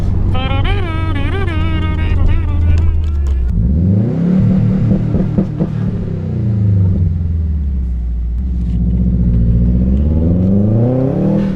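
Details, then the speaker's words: Subaru boxer on a test drive under boost after the failed cylinder 3 ignition coil was replaced and high-mileage oil added. The engine pulls cleanly with a smooth, even rise and fall and no stumble. "sounds good to me sounds real good to me sounds really good"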